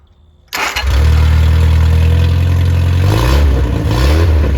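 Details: Rebuilt Triumph Spitfire 1296cc engine, new pistons, 270 cam, shaved head about 8.5:1 compression, balanced, 75 psi oil pressure at start: catches on the first crank and settles into a steady, even idle with no knocks, ticks or misses; healthy.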